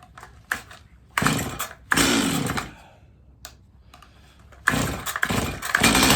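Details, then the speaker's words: Stihl MS250 chainsaw, cold morning start after carb tuning and chain/bar work; its reported fault is not restarting when warm. A few pull tries with short catches, then it fires and holds a steady, even two-stroke buzz. Healthy cold start. "all right [Music] so nothing looked out of the ordinary I think we're good to go to give it a little more testing"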